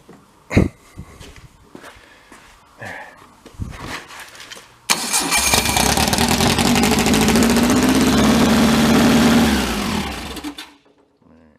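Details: Built air-cooled VW Beetle-style 2275 cc engine, stored untested for 8 years, run on a stand with a jump pack: catches and runs loud and steady about six seconds, then dies abruptly; possibly a lost power or ground wire.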